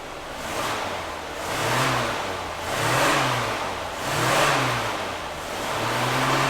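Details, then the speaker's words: Lawrence Welk's Cadillac after new gas tank and sender, engine blipped every ~1.5 s: smooth even revs, no knocks; runs well, though service engine soon light on and a possible slight misfire. "actually runs pretty stinking good."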